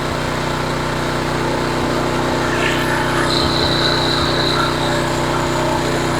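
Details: Homelite HGCA3000 3500 W generator after new carburetor and head gasket, choke on, started easily: engine runs steady and even with no load, no hunting or surging, 122-124 V, 61.8 Hz; normal idle.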